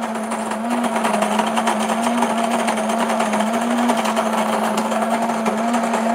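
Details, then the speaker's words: New Breville Grind and Brew coffee maker grinding beans: steady low motor hum with a gritty crunching layer, even and not very loud; normal burr grinder operation. "so it's not super loud [Music] but it's definitely grinding the coffee"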